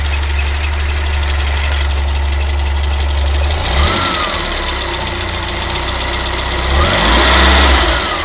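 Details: Fiat Uno EP 1996: steady idle hum with a faint, even, regular tapping on top; owner asks for help identifying the odd engine noise, source unclear.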